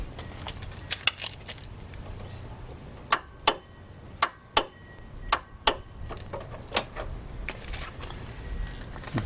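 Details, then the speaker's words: 2009 Victory Vision, no-start diagnosis: sharp loud clicks in pairs with no cranking as the starter solenoid pulls in normally, much louder than the headlight relay click. Solenoid works, so the fault is suspected in wiring or the neutral switch ground. "notice this much louder than a little subtle click that you'll hear whenever you press the start switch and the head light comes on but nothing happens with a starter"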